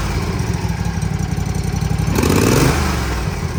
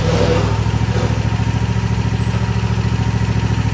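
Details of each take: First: Toro TimeCutter 50-inch mower, Kawasaki FR691, after valve adjustment; steady even idle thump about four pulses a second, brief throttle blip, no clacking, quiet; normal idle. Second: Toro TimeCutter 50 in mower, Kawasaki FR691 engine, before valve adjustment: steady fast ticking over a lumpy low idle, even in time; valve clatter from excessive valve lash.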